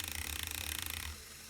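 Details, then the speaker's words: Lego demo of a single U-joint driven by a motor, playing card held against the gears: constant at straight, then turned to 45° the non-uniform output rotation gives a fast rhythmic pulsing tick; pulsing grows with angle, as on a steering knuckle. "now let's turn this at 45° you should be able to hear that pulsing faster faster"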